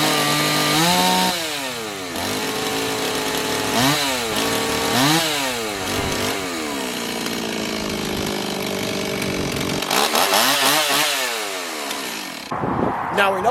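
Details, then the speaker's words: Stihl MS260 chainsaw after repair for bogging and dying as if fuel-starved, before carburetor tuning; starts and revs cleanly up and down several times without hesitation or bogging; normal running. "that it starts we know that it runs so we obviously fixed the problem"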